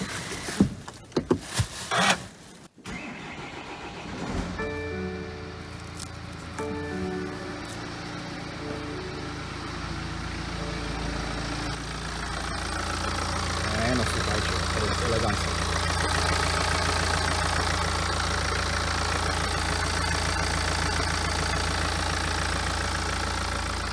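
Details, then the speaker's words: BMW F34 320d, B47 diesel, manual with all-wheel drive, after alternator replacement to cure noises: engine cranks, catches and settles into a steady, even idle with no knocks or whines; car is fixed. "bardzo dobrze auto odzyskało sprawność i jest gotowy do jazdy"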